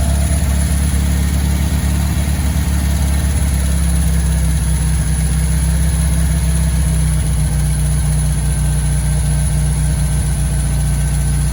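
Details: 1965 VW Beetle after a long while sitting in a garage, running after the carburetor was tapped for a suspected stuck float: deep, even idle hum with a steady low drone and no misses or knocks.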